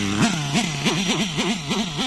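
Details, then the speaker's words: Nitro RC car engine deliberately run too lean with the high-end needle opened a big half turn: a high scream whose pitch sags and recovers about three times a second. Winding the high-speed needle back half a turn stops it. "That's too lean. Not enough fuel."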